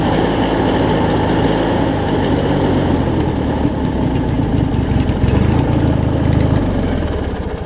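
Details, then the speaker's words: Craftsman opposed-twin riding mower running after its original starter failed with a crunch and was replaced (robbed from another opposed twin); starts much better, steady even low burble, no crunching or misses, runs great. "so I've got a new starter on it now luckily I had one here much better starts runs great now"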